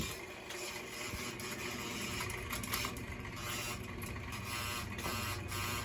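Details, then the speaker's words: Burnham Alpine gas boiler with no heat or hot water, heard after ignition. A dry, rapid ratcheting and clicking like a small geared motor chattering; two faulty zone valves, one with a bad end switch and one worn out. "so you have two bad zone valves this end switch is no good and this one is just acting like it needs to be retired"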